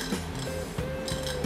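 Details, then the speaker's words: Secondhand EHEIM 2213 canister filter with loud noise and low flow: irregular light clinks and clatter over a steady motor hum because the impeller slips on its steel shaft instead of locking; it should be silent. "นี่ครับนี่เป็นเสียงเหมือนเมื่อกี้นะครับปกติมันต้องไม่มีเสียงใช่ไหมครับ"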